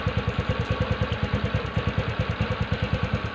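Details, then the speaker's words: TVS Ntorq BS6 scooter after auto choke has brought rpm down following a kick start; steady even putter about twelve beats a second, no skips or clatter, idling smoothly and healthily. "यह अभी car देखें एकदम सही। गया।"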